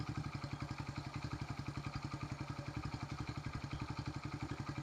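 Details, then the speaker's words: 1974 Honda XR75 now idling at the right speed: steady single-cylinder idle with crisp, even valve ticking on every firing pulse; valve lash was raised from 0.002 to 0.004 in, to be reset to 0.002. "And the valves do sound, I'm going to have to lower them back down because I don't know if you remember from the first video, I raised them from 2 thousandths to 4 just to see if the valves were the issue."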